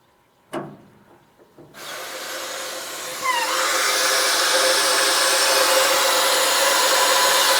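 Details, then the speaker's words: Harvest Right freeze dryer initial test done after 14 minutes reaching 333 mTorr; drain valve opened to release vacuum: click then steady rising hiss of air rushing back in; normal release, drain line must stay suspended to avoid water backflow. "You can hear that. And that's where they say if it was down in a bucket and you had water in there, that's air going back up in there."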